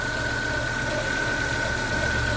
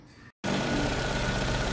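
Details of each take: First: Warm idling GM engine (Onix/Spin/Celta/Montana/Cobalt family) with a steady thin high whine from the timing belt, suspected over-tensioned or tensioner turned the wrong way (clockwise instead of anticlockwise); customer reports it worsens when hot. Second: Chevrolet/GM engine (Onix, Spin, Celta, Montana, Cobalt line) idling normally after the timing belt tensioner was re-tightened in the correct anticlockwise position; the belt noise is gone and only normal, even engine running remains.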